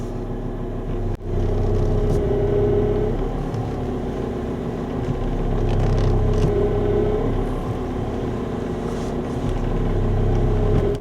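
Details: Idling car whose power steering pump whines louder as the wheel is turned, still whining after two fluid changes with flushing; an additive is later used to fix it.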